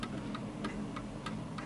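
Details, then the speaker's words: 1940s Hermle (FHS) 8-day Art Deco chiming clock after beat adjustment on a tilted surface: crisp, evenly spaced ticks about three per second with equal tick-tock gaps, so the clock is in beat and running normally. "and notice that the ticking is back to normal this is a very easy way of doing it"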